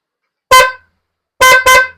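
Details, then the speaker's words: Low-budget dual horn tested on a battery via relay terminal; single flat honk blasts, one short then two close together, lacking the second tone's chord: one horn of the dual pair has failed. "Ganito yung tunog ng inyong busina pag ang busina nyo, sira yung isang busina nyo, ganito ang tunog"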